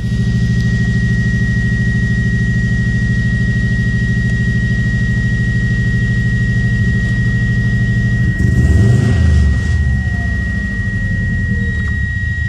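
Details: Subaru Impreza idling with an uneven, stumbling low pulse and a short throttle blip near the end; owner wonders whether coils or MAF are the cause. Engine misfire.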